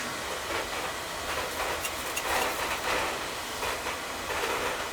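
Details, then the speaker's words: Oil-fired boiler full of black soot, burner running: uneven spitting roar with irregular puffs and pops instead of a steady flame; sputtering, suspected air in the pump after running out of oil and repeated resets without bleeding. "probably out of flipping out of oil yeah run out of oil and then keep hitting the reset without bleeding the air out you know and it's just spitting and sputtering all over the flipping place"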